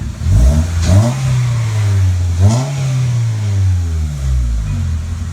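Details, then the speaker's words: 2002 Honda Civic EX (EM2), its exhaust now fitted with a catalytic converter, engine shaking noticeably: a few throttle blips give a deep, smooth exhaust note that rises and falls cleanly with revs. Normal exhaust note. "but the exhaust definitely sounds better now that it has a cat on it"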